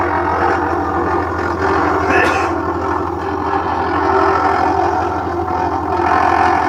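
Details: LG top-load washing machine making an abnormal noise: a constant heavy low rumble with a steady hum under it and nothing rhythmic standing out, pointing to a drum or drive problem of unclear cause.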